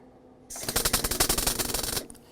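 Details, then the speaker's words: MIG welding a donor floor pan into a Galaxie 500, tacking before final weld: harsh, irregular crackling and popping from the arc; sputters because the metal isn't clean, needs regrinding. "you hear the way it's sputter and that's because this is not clean metal"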